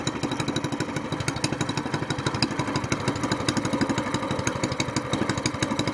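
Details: SPS Longtail mud motor, freshly built, at cold idle after its first oil change following a 3-hour break-in, now on 10w-30 Royal Purple synthetic with 2 oz BestLine. Steady, even single-cylinder thumping with no knocks or misses; it sounds healthy and smooth.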